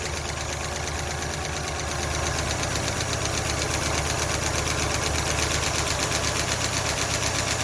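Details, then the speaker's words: Ford LTD running on milky contaminated oil: quick, even ticking about three a second over the idle from the top end. Valve train noise from all of them. "well that's valve train noise i'm going to go ahead and get my ratchet make it a little easier okay it's all of them"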